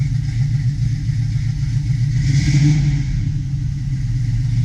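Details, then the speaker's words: 1972 Chevy Nova SS V8 with FiTech fuel injection, fresh oil, filter and spark plugs, at cold fast idle around 950 rpm: strong, steady low rumble with a slight lope, running evenly without knocks or misses; normal cold idle. "all right as you can see there we're cold idle right around 950 give"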